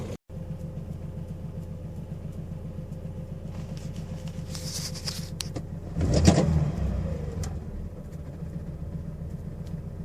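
Car engine idling with an even low pulse and no rattle or ticking from the chain area.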